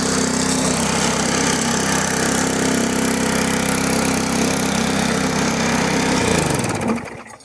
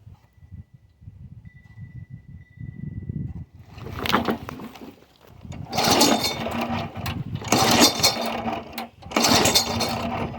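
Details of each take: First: Damaged, neglected push mower after the control cable was repaired: the small engine holds a steady, even beat for several seconds, then winds down cleanly when shut off, running normally. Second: Yard Machine 22-inch push mower, Briggs & Stratton 4.5 hp engine (2007), primed after cleaning. About four pull-cord cranks, each a short whirr with compression but no firing. Spark plug found soaked; owner suspects water ran into the cylinder while tipped up, possibly too much oil.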